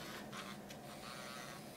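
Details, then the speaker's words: Pentax Optio M20 7-megapixel budget compact camera, untested auction unit: a faint, slightly rough high whirring buzz as the lens extends after power-on; minor lens motor noise. "a little bit of lens noise here this is a Pentax optio M20 like I said which was a kind of compact budget point and shoot"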